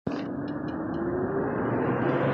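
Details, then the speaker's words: 2003–06 Chevy Trailblazer/GMC Envoy with the engine running: loud, steady, high airplane-like roar from the failing electric radiator fan clutch; it won't cause overheating. "It's like an airplane. That's this fan, this radiator fan. These fans in the Trailblazer and the Envoy, when they go bad, it's just real high, real high."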